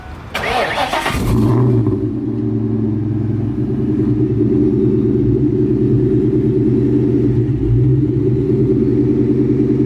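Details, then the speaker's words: 1999 Ford Mustang GT 2-valve V8 with Vortech V3-Si supercharger and intercooler, started after dyno; idle swells and dips instead of holding steady, hunting idle; voltage change detected, owner suspects throttle body TPS sensor. "you'll probably be able to hear it sometimes it idle strong and then it'll like kind of dip down and idle back"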